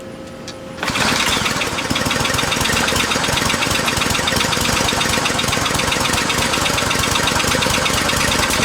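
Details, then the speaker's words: Briggs and Stratton 550e pressure washer engine, air filter removed: quick pull-start, loud slightly uneven lumpy run, spraying gasoline; running way too rich after main jet was bored out too far; new main jet insert to be ordered. "okay so obviously it's running way too rich now with that uh with that whole board out"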